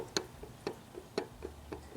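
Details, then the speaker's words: Generator for an air-cooled VW 1776 engine turned by hand; dry click about twice a second with fainter ticks between, from play in the dry rear fan-side bearing, pulley side tight; worn bearing needing replacement. "so there was just a little bit of play in this rear bearing this is the fan side bearing it's tight on the pulley side and it turns okay but it's very dry"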